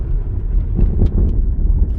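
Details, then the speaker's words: 2002 Toyota Camry road test on a rough graded road after replacing the right rear wheel bearing, which had play: steady road rumble with no more rear clunking over bumps, and only a very faint rattle from the right front. "no more clunking from the right rear. Very faint rattle from the right front, but way more acceptable than it was."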